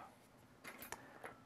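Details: Commodore SX-64 with its built-in 1541 floppy drive, reading a genuine 1541 test disk: quiet, irregular sharp ticks and chattering clicks as the head knocks while failing to read. The drive mechanism is at fault.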